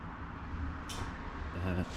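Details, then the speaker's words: 1993 Dodge W250 first-gen Cummins with LED sealed beams, new aftermarket headlight relay harness: two sharp, crisp clicks about a second apart as high beams switch on and off; both relays working normally. "you could hear that the relays were clicking when the high beams came on and off so they they're both working"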